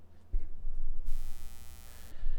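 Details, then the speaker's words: Blue Spark SL Blackout Edition microphone, owned about one to two months. A low steady hum with a bright buzz appears whenever the blue logo on the body is touched. It points to a grounding or shielding fault, possibly poor quality control. "so just listen carefully i would recommend you put headphones on or else you may not hear this but here goes ready that's me literally just touching the blue logo right now that can't be good"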